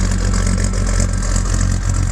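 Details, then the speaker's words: 1978 Chevy K5 Blazer, 350 crate V8 with Holley Sniper fuel injection, TH350 transmission, just started: deep, mellow V8 burble with an even, steady idle beat and no knocks or ticks. Normal idle. "here the fuel pump magnet my lord shiva shakti nice a very deep mellow tone"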